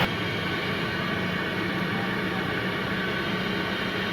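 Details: Toyota Corolla XLi 2007, after misfire and check-engine-light repair: smooth, constant idle hum with no stumbles, dropouts or uneven beat; engine now runs fine.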